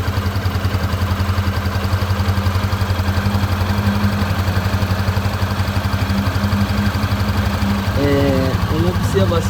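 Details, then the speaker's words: Honda CB300F single idling with even thumping about four times a second and a faint loose metallic chatter, like something metal knocking or a rattle, source unknown. A new noise, louder when the engine is hot, with slightly raised vibration. "Parece que tem algum ferro, alguma coisa batendo. Tem um barulho tipo um chucalho."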